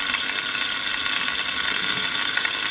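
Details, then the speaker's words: Seized scroll compressor from an AC condenser unit, run on a frequency drive at 40 to 50 Hz; a harsh, hissy rattling grind stays constant and high in pitch with no low hum; separation between the shaft and rotor is suspected, not confirmed. "50 Hz. What the hell's going on? I don't think that's just the magnetic field rotation we're hearing."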